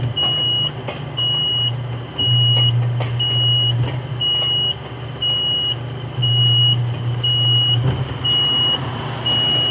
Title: Edwardian Apartments Electric Gate B beeping at a lower alarm tone